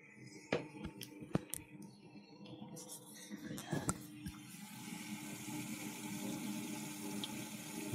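Quiet hum under gurgling, trickling water through the pipes; the new pump is moving the heating water properly.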